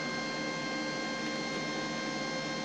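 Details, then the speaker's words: Ozito 100A gasless flux-core MIG welder at about a third voltage: constant harsh hiss with thin buzz instead of a crisp crackle; an unstable arc still burning holes, though it seems to lay a bead. "blowing holes it actually feels okay doesn't sound good but the it seems to be laying down a beat okay"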